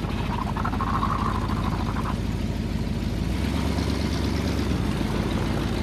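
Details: 1978 Ford LTD, still cold after a -10°F start: steady, somewhat quick idle with a low rumble and no misses, sitting noticeably above normal idle speed.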